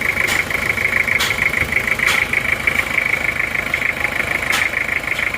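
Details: Toyota Kijang diesel 2L after repair for oil burning and blow-by from 2 mm ring gap, new liners, new Aisin clutch, being broken in: crisp, even clatter at steady idle, no misses or heavy knocks, smooth healthy running.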